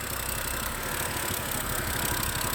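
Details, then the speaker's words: 2011 BMW E90 M3, smoking: idle stumbles with an uneven, lumpy beat under a steady hiss, heard from the back. Cylinder 2 misfire code appeared after the valve cover gasket and a broken CV valve were replaced. "it comes from the back, and it sounds really odd."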